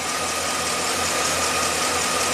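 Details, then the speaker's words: 2009 Chevy Silverado 3500HD, 421,000 miles, rough loping idle, the rise and fall heard over steady engine noise; the coolant temp sensor connector is busted, reading minus 40, and fuel trims swing, running like garbage and likely to stall. "This is crazy. It's running like garbage now. Let's see what the oxygen sensors are doing. Starting to lope"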